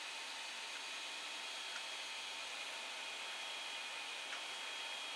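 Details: Creality Ender 5 Plus with replacement silent TMC2208 board, printing: quiet steady airy hiss with faint constant tone from part cooling and hot end fans, no knocking or grinding; normal fan noise.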